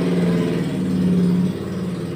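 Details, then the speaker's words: Polytron refrigerator that wasn't cooling with only the light on, after the compressor overload protector was checked and reconnected: steady low hum that settles, no clicking or labouring. Compressor starts and runs normally at about 0.6 A against a 0.65 A rating. "kita memang disini kompresor sudah berjalan ya dan ampere menunjukkan sekitar 0,6 ya"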